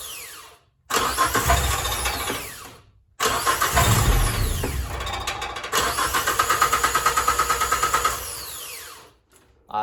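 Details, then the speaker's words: Geo Tracker with an intermittent no-start; fuel pump and ECU tested fine, and the owner suspects the timing belt jumped time. Several crank attempts die out, and one catches into fast regular chuffing before sputtering out. "uh they'll start it'll sputter a little bit i've tested the fuel pump i've tested the ecu don't have any issues there"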